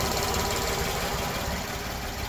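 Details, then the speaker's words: Kia Towner (Daihatsu Hijet-type) mini truck after swapping to a 250cc motorcycle carburetor, mixture screw set by ear at about one and a half turns: small petrol engine idles steady with light regular pulse, no misses; runs smoothly. "you can even hear it I never never got to hear it like this when I have this piece of junk they gave me nothing but nothing but truck multiple problems"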